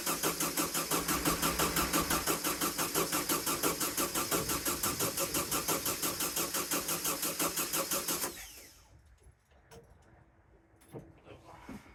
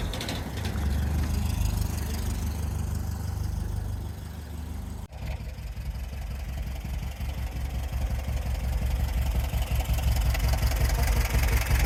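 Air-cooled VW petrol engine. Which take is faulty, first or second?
first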